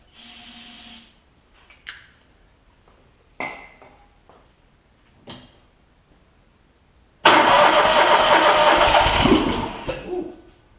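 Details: John Deere ZTrak Z915E mower, Kohler V-twin, sat 2 years, before repair: short cranking bursts, then rough firing on carb spray that fades out; not getting gas, later found sticky carburettor solenoid blocking fuel.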